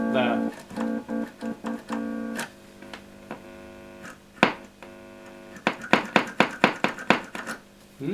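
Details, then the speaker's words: Mesa Subway Rocket guitar amp whose sound fades after being on a while. After spraying DeoxIT into the effects return jack, guitar notes still drop to a weak, thin level mid-phrase, then return to full: an intermittent output volume drop. "I can immediately hear we've got a problem there that sound is gone H that's interesting that's not working that's gone low level now full level"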